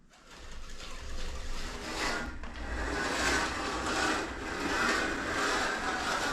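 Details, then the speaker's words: Midmark LED dental track light pushed along its track: rough scraping grind that swells and fades, and the light does not move easily. Grinding from an installation issue that was corrected. "okay so this light is not moving easy for the staff now whenever we hear a grinding noise we want to see if we can see evidence of where it's grinding"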